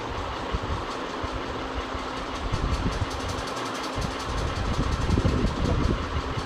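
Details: Ceiling fan running with a continuous low rumble and uneven rhythmic clatter; bearing noise from a worn fan bearing.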